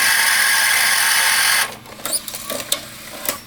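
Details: Sony SLV-700HF or Mitsubishi HS-421UR VCR: steady motor whir with repeated clicks and clunks as the mechanism cycles but won't play or eject; owner suspects a belt issue.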